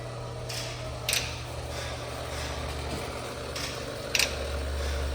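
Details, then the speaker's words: 2023 Kenworth W900L in 3° cold, fuel pump kicking on after a harness terminal repair: low, slightly rough pump drone with a couple of clicks, running dry while filling empty fuel filters. "they don't sound the greatest but it also doesn't have any fuel in it right now as you guys can see"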